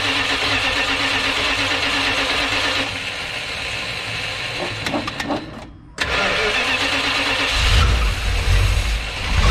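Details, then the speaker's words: 1970 Dodge D100, 383 V8, newly fitted Holley Street Dominator intake and 750 cfm carburetor: catches and settles into a steady, lumpy run with a brief dip before picking back up; sounds healthy. "let's uh crank on it see what this thing sounds like with this uh 750 cfm carburetor and the holley street nominator intake"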